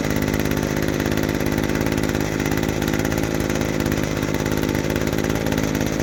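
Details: Vintage 1990s Weed Eater GHT-22 two-stroke hedge trimmer, 22-inch cutter, revived after fuel line and filter work and fresh fuel: fast even buzz holding steady speed without surging. Normal running.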